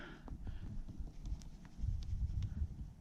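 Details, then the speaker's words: Komodo Kamado 42" grill during burn-in: scattered hammer taps on the ceramic tiles, some sounding dull and hollow over a background rumble, locating voids under popped tiles, some of which are venting or leaking fluid with a hiss. "And then of course this kind of tapping things you can find where there's a void underneath."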